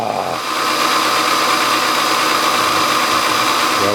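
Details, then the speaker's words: Milling a scrap brass governor weight bracket, coolant pump off, feed rate too high: loud harsh cutting roar with a steady ringing tone near 1 kHz as the cutter strains and chatters; raise RPM or slow feed. "carried away with the feed rate darn it goal returning to zero reset return to zero right there shoot oh I need to either kick up the RPM or slow the feed rate down"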